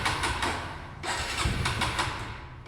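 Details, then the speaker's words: TVS Raider motorcycle left parked about two days: repeated quick cranking bursts with brief catches that never settle into an idle, so it cranks but won't start. The petrol supply was checked afterward, and then it started. "First start start ಆಗಿಲ್ಲ start ಆಗಿಲ್ಲ ಆಗಿಲ್ಲ start ಆಗಿಲ್ಲ start ಆಗಲ್ಲ"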